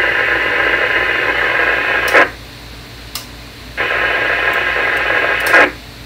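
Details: Motorola CDM1550LS 220 MHz radio with RF filters modified for wideband, during squelch setup: loud steady open-squelch hiss switching on and off with a click at each cut, the noise wanted while setting squelch.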